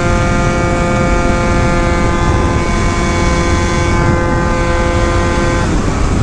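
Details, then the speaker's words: Old Yamaha Zuma two-stroke scooter, 70cc kit with new CVT setup, hot day, running at speed: steady smooth buzzing note over wind, no top-end knocking after a loose ignition coil blamed for earlier misfire was fixed; normal running. "now we just hit 300 thing's running really cool today it's only r at about 103 too"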